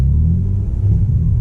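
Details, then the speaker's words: Audi B5 S4 running 25-26 psi boost, idling deep, lumpy and uneven after a 2-step launch; MAP sensor reads about 130 mbar instead of 950 and doesn't change, owner suspects failed MAP sensor, possibly wiring. "that would explain why it's running like crap"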